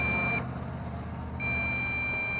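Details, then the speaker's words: MJX Bugs 3 drone with optional 2300mAh battery: transmitter gives steady high-pitched beeps, one short then one long about a second later, over outdoor hum, with lights flashing; low-voltage warning. "oh here we go low voltage low voltage you see the lights flash and check us out and you hear the transmitter beeping"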